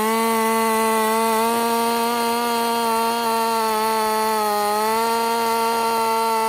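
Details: Husqvarna 50 Partner 5000 hybrid race chainsaw on its first cuts after a rebuild with a machined piston taper, in wood too big for the bar; an even, high two-stroke scream sags slightly as the chain bites and recovers cleanly. Normal cutting under load.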